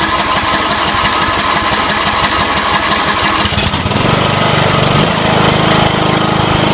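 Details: 17 hp Intek engine in a Scotts (John Deere) 1742 lawn tractor after head gasket replacement and valve lash adjustment: steady even beat, picks up speed smoothly, no knocks or misses; running normally.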